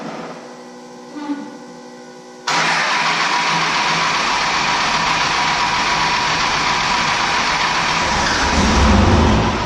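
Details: 12-valve Cummins diesel truck, just fitted with 5x0.016 Haley Speed Innovations injectors, fuel lines not yet primed: faint cranking, then it catches abruptly into a steady diesel clatter. A normal start, though the first injector's return line is found leaking afterward.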